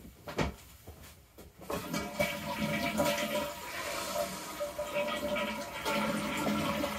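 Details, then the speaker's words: Toilet flush and refill after replacing the hissing fill valve with a Korky fill valve kit: strong rushing flush, then a steady even refill that shuts off cleanly with no lingering hiss; fill valve now working normally. "there you go that is how you fix a hissing toilet happy flushing"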